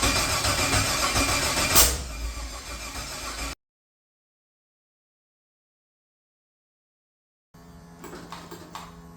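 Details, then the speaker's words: XG ute with a 6.0 L LQ4 (long-crank) V8 swap, first start: long rough cranking that catches without settling, then a pause and weak retry; the cause was a faulty brand-new crankshaft position sensor. "Very happy to hear it run after struggling a little bit. It ended up being the brand new crank sensor that I bought for this motor was no good, which can happen."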